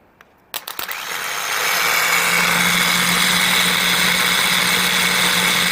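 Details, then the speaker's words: Removed starter motor from a 2000 Ford F-250 5.4L, bench-tested by jumping the solenoid: a few clicks, then a harsh rough whirr with steady hum; worn starter that had a serious clunk, replaced with a rebuilt Motorcraft unit. "It's running. I guess it does sound a little rough."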